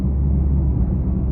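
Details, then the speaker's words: Proton Saga BLM driven on the road: a steady low drone under the road rumble that grows with speed, from a worn front wheel bearing whose grease has hardened and dried out. "Tapi yang merisaukan dia punya berdengung tu. Kalau bawa laju tu berdengung tu biasanya berdengung ni bearing tayar eh. Gris dia dah keras."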